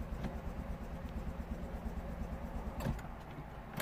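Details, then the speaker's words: 2009 Smart Fortwo 451, 1.0 litre 71 hp petrol, crank no start: starter turns at a steady, slightly uneven churn about three beats a second but never fires; petrol smell, no spark suspected. "and it definitely cranks and I can smell petrol I can actually smell petrol so it might be that we have no spark"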